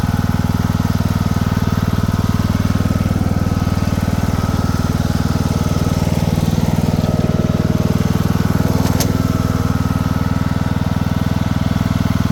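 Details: Craftsman II lawn tractor with a swapped-in newer engine and a bad key switch: steady, even low thrum at constant speed with no misses, knocks or rattles; the engine runs smoothly.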